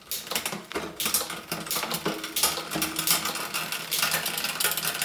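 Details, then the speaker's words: Bike build, rear derailleur setup while turning cranks: rapid metallic ticking and rasping as the guide (top) pulley pushes the chain against the next larger cog; fixed by turning the barrel adjuster clockwise about half a turn. "And I can hear it already This means that my Guide pulley, which is the top one is just pushing the chain against the bigger cog over here, that's what causes the noise."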